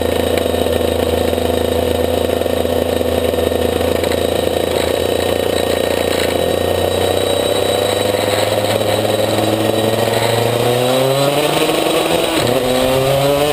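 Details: Maxter KZ2 two-stroke kart engine, clutch test 2; steady buzz then sharp climb in pitch while the drive does not follow; slipping clutch.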